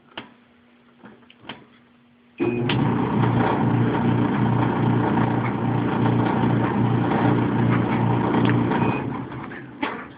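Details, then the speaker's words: Maytag Epic Z dryer: loud rumble with steady rhythmic pulsing, about three beats a second, whenever drum rotates, with or without clothes; belt seems fine, cause unknown. "I have a Maytag Epic Z dryer um not exactly sure what this noise is but when I start it it sounds whenever the drum rotates doesn't matter if there's clothes in it or not it makes this kind of sound"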